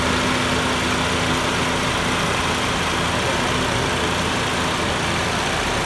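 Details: Toyota Yaris at idle, after an idle problem addressed with cleaning and a new part: even, steady idle with a faint constant hum, no stumble or misses; engine running smoothly.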